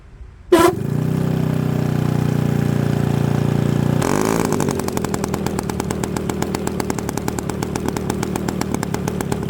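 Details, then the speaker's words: Byron Christen Eagle RC model plane, Quadra 50 gas engine, first run after 25-30 years, electric starter; the starter whirs, the engine catches at about four seconds and settles into a steady, even popping idle, slightly rich on the high end; normal running. "30 years she's been sitting. She fired right up. Heat. Heat. All right, she sounds pretty good. Just a hair. uh rich on the high end, but not too shabby."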